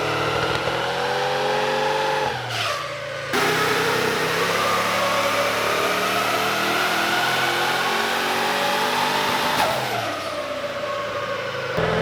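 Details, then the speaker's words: VEE080, a boosted LS V8 drag car prepped for the strip: hard revving that cuts out abruptly twice, sound dropping then snapping back. The engine is breaking up under boost, cause unknown. "um you can probably hear from the footage it's breaking up it's causing a few issues"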